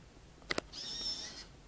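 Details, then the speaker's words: Arduino-driven servo on automated window blinds, moving at full speed between closed, open and tilt positions. Two clicks, then a loud, steady high-pitched whine lasting under a second. The fast movement is noticeably loud, unlike the quieter slow mode. "now this is good because it operates fast but this is bad because it's noticeably loud right you can hear that"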